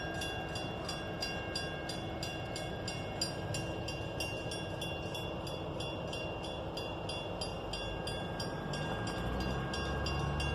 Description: Flint Hills grain derailment Abilene, Ks October 2019 brakes locked up very high pitched squeal